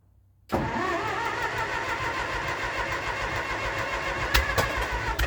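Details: 1942 Oliver OC4 crawler, first run after years of mechanical work, started on trailer: fires at once and settles into steady even idle, no misses or knocks; normal cold start.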